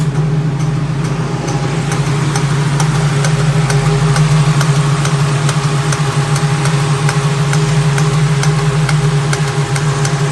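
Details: Ford 351C V8 idling loud and deep with a steady light ticking knock over it, roughly two per second; an internal engine knock is suspected, cause not confirmed.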